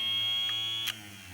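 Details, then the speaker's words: 1965 Plymouth A-body heater blower motor, sat for years, bench-tested off a battery before teardown: a steady, high-pitched electric whine for about a second, then it cuts off. The motor spins freely and runs normally. "the blower motor runs, but I know there's going to be somebody out there in the comment section, or maybe not, that's going to be like, well, if it runs, why are you taking it apart?"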